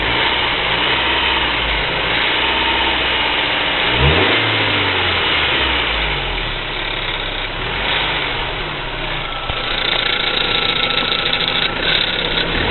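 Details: BMW E46 318i petrol engine with a faulty DISA valve, idling and revving: light rapid ticking over it that follows the revs; hydraulic lifters suspected; abnormal engine noise.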